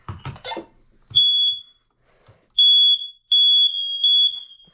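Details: Household smoke alarm in the office during a monthly smoke and carbon monoxide alarm test: a shrill high-pitched beep in short, evenly repeated bursts with silence between. The alarm is working normally.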